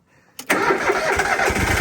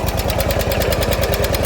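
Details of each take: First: Propane-powered commercial lawn mower from an auction lot: quick crank, catches at once and settles into a quiet, even idle with no misses or knocks; healthy running engine. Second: Small lawn mower engine at idle after sitting: sharp regular tick with each firing over a lumpy idle; owner suspects a valve issue, possibly fixable with a valve adjustment, unconfirmed.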